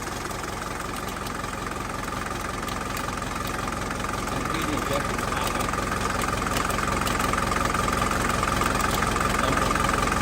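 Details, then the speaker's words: 1981 Mercedes diesel that had sat about 15 years: a quick, steady tick about three times a second over the clatter, later found to be a loose part striking the fan. "so this part was hitting a fan and it was all the way through the handle to the metal so that's that tickety tickety tickety tick you were hearing"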